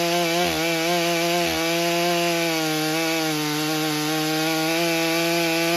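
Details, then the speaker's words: Stihl MS661c chainsaw just rebuilt with forged Wiseco piston, first tank, 40:1 mix, 32-inch bar in soggy poplar: clean, high, steady note briefly sagging under load then recovering; cuts nicely, seen as improved over stock; normal cutting. "right, first impressions. I believe that does pretty nicely."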